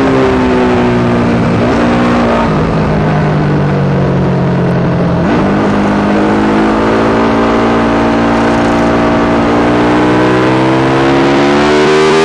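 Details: Yamaha YZ450 single in a supermono race bike on track, revving through gear changes; pitch rises and falls with speed, ragged uneven note under load. Constant misfire that worsens after a couple of laps; carb settings, fuel tank, filter, breathers, ignition, coil, generator changed without cure.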